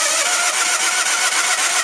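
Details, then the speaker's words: Case lawn tractor with a 20 hp Onan, newly fitted gas line, after running briefly. Quick, even chuffing while cranking that never catches; suspected flooded, or a carburetor float needle stuck after about two years of sitting. "And it looked like actually some gas was coming out a little bit too heavy, so we might have flooded it."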